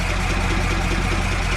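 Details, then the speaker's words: Marine diesel on a 44ft steel sailboat (Dinieper Tropic 1200) abandoned 22 years, running after revival; steady even low idle with regular beat, no knocks or misses: running perfectly, normal idle. "the good news is the engine is running like great like that it's running perfectly this sounds really really good"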